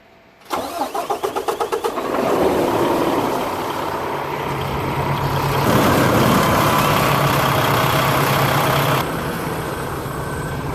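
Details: 2015 Peterbilt 579, Paccar MX-13 diesel, Eaton 10-speed, before AMSOIL engine flush: about 1.5 s of rhythmic cranking, then engine catches and settles into steady, quiet idle; sounds healthy.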